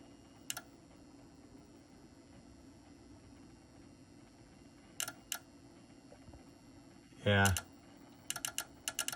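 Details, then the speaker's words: Otari MX-5050 tape recorder, speed sensor tested with heat after the sensor wires were resoldered: over a faint motor hum a speed relay clicks sporadically, then chatters rapidly and the motor speeds up; wrong speed, sensor judged faulty. "There goes the relay going nuts. And now it just speeds up. So it's definitely the sensor."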